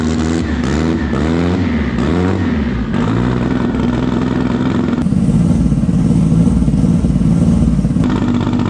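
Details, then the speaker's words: Freedom Civic build with stock cams, boost controller and sensors newly fitted: engine catches and revs in quick rising and falling sweeps, then settles into a rough, lumpy idle; runs strong, alternator working, belt not walking. "good there she is man starts up like stop Source Line's so little it's perfect it's like it's big everything just simple simple simple"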